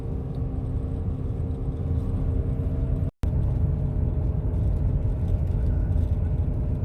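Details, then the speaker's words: 2005 Buick LeSabre with about 195,000 miles, with the ABS light on, recorded by phone while driving: a steady low droning hum over road rumble that started about a week earlier, from a worn front wheel bearing/hub assembly. "there's a humming noise and it started last monday so it's been uh about seven or eight days now"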